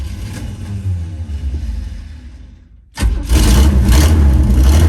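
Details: 1975 Chevy C10 V8, first start, fuel fed from a gas can: cranks a few seconds, catches and settles into a strong, steady idle with a deep even rumble; starts fine.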